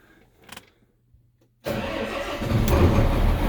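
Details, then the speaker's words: Case Steiger tractor diesel with brand-new batteries, cranked once the DEF pump stopped: quiet, then it fires instantly and settles into a steady, even rumble. Healthy cold start. "Ride up like a champ."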